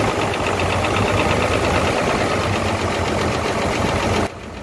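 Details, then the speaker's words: Hino J08C diesel truck engine after overheating, coolant full of water, top cover open: loud heavy clatter with coarse knock about four per second over huffing blow-by; very high back compression, cylinders 1 and 2 at fault. "And you can see that there is back compression too, the pressure is also very high."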